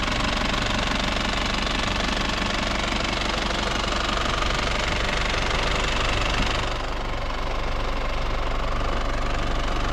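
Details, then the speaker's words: Isuzu TFR van diesel, just started after a roughly 100 km test drive with temperature normal, no leaks, new battery, heard from outside: steady, evenly paced diesel clatter at idle about four beats a second, no stumbles; smooth normal idle. "อ้าเสียต้องยนต์เรียบเนียนดีนะครับ"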